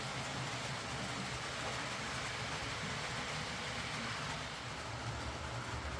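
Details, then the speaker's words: Hornby R.372 Class A4 "Seagull" tender-drive model loco after repair: stop-start running likely from excess axle oil spoiling pickup; smooth continuous hum with light rail clatter, no grinding or stutter, as quiet as expected. "So there we go, that's this Hornby Class A4 Seagull running fine, and as quiet as you can really expect one of these to be."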